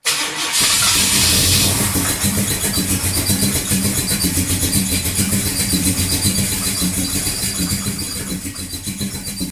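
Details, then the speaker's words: XC Ford Falcon 351 Cleveland V8, new MSD Pro Billet distributor: catches on crank, chugs lumpy and uneven as if on four cylinders, then fades. "sounds like so this is where I was at eight days ago at Elle's place it sounds like it's trying to run on four cylinders it just doesn't sound like it's running right"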